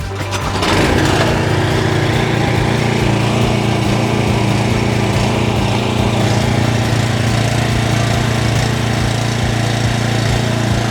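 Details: JCB petrol pressure washer after restoration, water hose and gun connected, trigger held with nozzle removed because the unloader valve is uncertain. The small engine holds a steady, even drone under load with no surging, misfire or knocking; running healthy.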